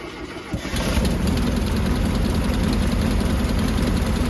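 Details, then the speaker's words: 1970s VW bay window campervan, air-cooled, first start in over 30 years after freeing seized engine, started via jumper wire to starter: short crank then catches into steady even air-cooled idle chatter; starts and runs fine. "Just like that, she works."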